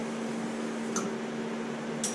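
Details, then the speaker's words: Suzuki with codes P0456/P0457 on an evap smoke tester, vent valve commanded closed; steady hum with a sharp click about every second that keeps repeating because the system isn't holding pressure; evap system leak. "there you go now it's checking for leakage okay so there is a leak because it is clicking still"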